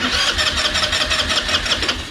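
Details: Chinese scooter sitting 9 years, fuel just starting to reach carburetor, brake held: quick rhythmic starter cranking about six to seven pulses a second with faint hints of catching, turns over but doesn't fire; crank, no start.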